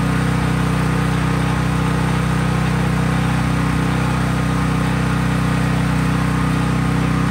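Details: Craftsman 5000 W generator at full speed with only an LED bulb plugged in, effectively no load: strong, steady low drone at constant governed speed, no hunting, surging or knocking; normal unloaded running.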